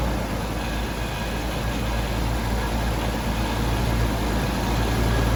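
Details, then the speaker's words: Jaguar XJS warming up on its first run, with cleaner burning off and a high hot idle: heavy constant roar with a rough, loosely repeating beat; the source of the loud noise is unknown, and the owner hopes it isn't the oil pump. "Sounds loud. I don't know what that noise is."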